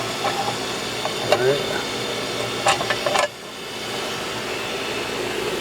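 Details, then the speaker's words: Grizzly G0763 6"x18" surface grinder spindle running with no grinding wheel fitted. The motor fan shroud is off and the plastic motor fan is partly broken but operates fine. Steady, even motor hum with a light whir and brief clicks: healthy spindle. "shut it off with his Drive here's our spindle okay now there is not a grinding wheel on this"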